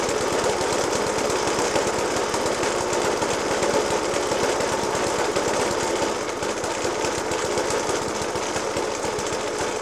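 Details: Circa-1991 Suffolk Punch 30S mower with a Dellorto FCH 20 carb, at idle after a new spark plug, decoke and carb clean: heavy hammering bangs at two to three per second over a ragged idle. The cause of the rough running is unknown.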